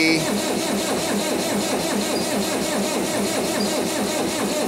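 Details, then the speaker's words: 1959 International Harvester B275 tractor with a BD144 diesel, after the fuel filter change and priming; even starter churning at about 2.5 strokes per second with no firing, cranking but not starting yet. "We're trying. If nothing else, the fuel system is for sure primed."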